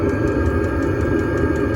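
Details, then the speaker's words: Chinese diesel air heater on test run in a van, fuel siphoned through filter, pump hanging by hose: steady forceful blower roar, smooth low hum, faint regular ticking; running well. "Oh man, it's just like a dryer exhaust. It's really blowing quite forcefully too."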